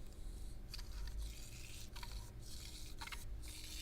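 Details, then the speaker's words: Unrebuilt Rockshox Judy cartridge damper stroked by hand: gurgling, sloshing hiss on each stroke instead of the smooth, bubble-free action of a rebuilt one; air in the damper oil, needs rebuild. "See if you can hear that. So that's got air in the system."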